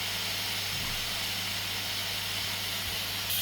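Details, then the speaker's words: Pressure King Pro electric pressure cooker cooking chili nachos, quick release via the valve, covered. A continuous high steam hiss with no sputter or whistle, running down. Normal pressure release. "I know some people are really scared of all this steam. Just cover it up, walk away, leave it. Can you hear it's really, really running down"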